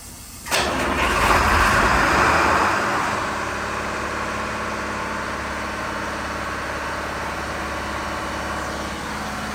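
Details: Diesel fire sprinkler pump, run weekly for half an hour as a test, started with the isolation valve closed. It fires straight away, flares briefly, then settles into a steady, even run with no knocks or misses. A healthy engine.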